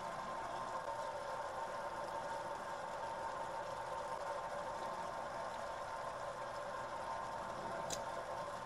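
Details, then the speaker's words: Shallow well pump on a solar-powered system, first start after a year unused, no priming needed: steady even motor hum with no knocks, rattles or surging as the tank fills to about 50 psi; normal running. "all right i can hear the tank filling up so far so good excellent the tank filled up to about 50 psi got the water spigot off the well is definitely bringing water up out of the ground and filled up the tank"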